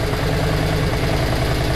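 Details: Yamaha Virago 535 V-twin idling with headlight and auxiliary light on, voltage dropping from 13.3 to 12.6V: low, steady thrum with even firing and no dips; idle holds fine under electrical load.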